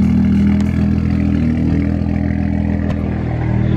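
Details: BMW 335i (E92) with suspected faulty coil packs and misfire codes, after codes cleared, on stock map: steady, smooth engine hum with no stumbles or skips; normal-sounding idle.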